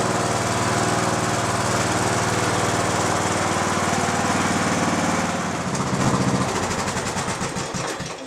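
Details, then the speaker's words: Restored lead-acid battery, still with one bad cell, in a riding mower it previously could not crank at all. Strong, steady cranking for several seconds, slowing only at the end; the battery now turns the engine properly and it started. "So here we go. You can hear how it cranks it now."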